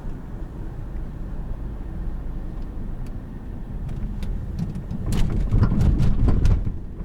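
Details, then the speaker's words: 2013 Lincoln MKZ 3.7L V6 AWD crossing train tracks: road rumble then sharp clunks from the rear suspension. Strut mount bushing intact and retightened, but the noise persists; source not yet found. "so i'm not sure if you heard it but yes it is still clinging and banging so the tightening meant nothing"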